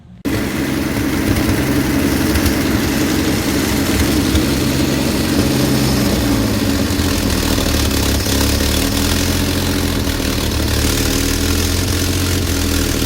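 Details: 1966 Chevy G10 van, points just cleaned, clutch in while finding gears: fast steady idle that never settles, idling a little high.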